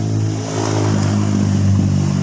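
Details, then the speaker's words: Honda Vario Techno scooter revving: rough, clattery knocking coming from the CVT area; cause not yet identified. "ini permasalahannya bunyi kemlokor nih guys di daerah CVT"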